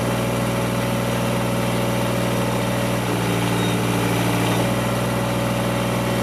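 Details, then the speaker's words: Kubota GR2110 mower after topping up low, long-neglected gearbox hydraulic fluid: steady low diesel drone, even beat around idle, no knocks or misses, hydraulics working, shaft-driven deck whirring; runs healthy. "oh well I have to say I'm pretty pleased with this it's uh it's running very good you can see all the Hydraulics is working"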